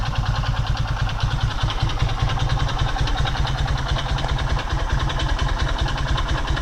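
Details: Skymoto Pegas 110 motorcycle at 13,000 km, idling with a loose, uneven tapping about two or three times a second riding on the exhaust beat; a bottom-end knock, suspected connecting-rod knock, unconfirmed.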